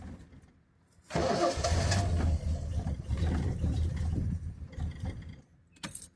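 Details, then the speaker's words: 1974 Triumph TR6 after years sitting, on old tank fuel with the coil wired straight to the battery over a suspected voltage loss: catches roughly, sputters unevenly for a few seconds, then dies; won't stay running. "going to crank it it spits and sputters but o it almost oh come on stay running stay"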